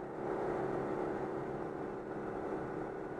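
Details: Citroën 2CV after repair: steady engine drone at about 90 km/h holding an even pitch under road and wind noise, no surging or cutting out; an air leak at a fuel hose had starved the fuel pump.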